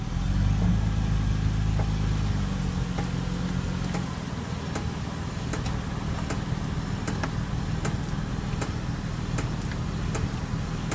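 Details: 2000 Toyota Avalon while driving, after about 25 minutes, not in reverse: light regular ticking over road rumble from the rear parking brake drum behind the rotors; rest of rear brakes already replaced.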